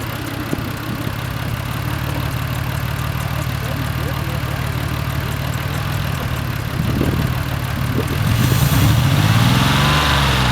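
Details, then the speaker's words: 2003 Mazda 6 petrol idling low and lumpy with an uneven misfire, after a salvage-yard throttle body replacement fixed the poor throttle response. The remaining misfire is from an unresolved spark plug and coil pack issue. "Now, as you can probably hear, the car still has a misfire. There's a spark plug and coil pack issue to be resolved, but this is just for the throttle body for now."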